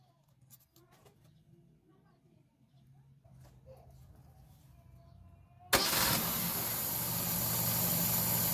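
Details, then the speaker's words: Carbureted car engine after fitting an intermediate-size low-speed jet to cure an uneven, shaky idle: starts at once and settles into a steady, even idle with no hunting or misses, accelerates well; normal idle. "ya vemos que arranca bien queda regulando perfecto y acelera bien"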